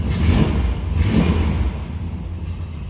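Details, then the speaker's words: 1969 Plymouth GTX convertible, numbers-matching 440 V8, 75,731 miles shown, restored: deep lumpy rumble swells with a throttle blip then settles to a steady burble; healthy V8 idle and rev. "Let's go ahead and fire this up so you can hear it run. Nice running, nice sounding car."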